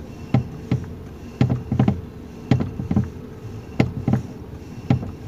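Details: 2019 Toyota Rush, engine running, steering turned left and right: irregular dull clunks about one a second, some doubled, from under the steering column; suspension fine, cause loose column bolt and worn bushing knocking.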